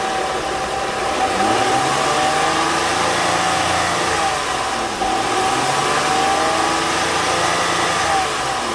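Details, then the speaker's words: 2006 Honda Ridgeline after alternator replacement and belt/pulley alignment check: engine revs up and settles back smoothly with no squeal; the belt noise is gone, normal quiet belt drive. "but i can't see anything wrong with this pulley but as you can hear the the belt noise is gone now"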